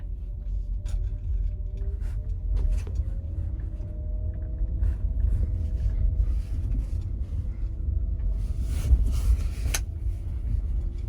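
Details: 2023 Genesis GV60 driving in cold weather (about 46°F, Alabama), after felt tape was wrapped around the hatch's four alignment points: only a low road rumble with no rattle or clunk from the rear; the hatch rubbing and clicking noise is gone.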